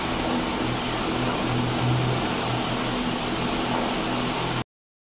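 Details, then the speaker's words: Small fan after repair of its khat-khat knocking (a stuck old bearing was removed with a machine): it now runs fast with a steady air whoosh and faint low hum, no knocking, which is normal. "जैसा कि आपने video में देख लिया कि पंखा आवाज नहीं कर रहा है खटखट का जो थोड़ी बहुत भी साउंड आती है तो व जो छोटा वाला पंखा होता है काफी तेज चलता है इसलिए वह हवा की आवाज होती है"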